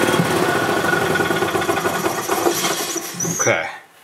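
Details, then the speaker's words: 2007 Club Car Precedent gas golf cart after new fuel pump and oil change for gas in oil; small single runs at a steady quick even beat, governor slightly out of adjustment: normal running. "the cart runs it actually is running really good"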